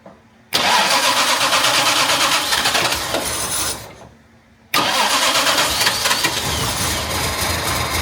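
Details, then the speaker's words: Jaguar MKII, not running quite right since being put back together: cranks and catches in two rough bursts with a sharp pop between them, uneven firing; backfire on start, owner suspects ignition timing off. "we oh backfire H timing could be [Music] off"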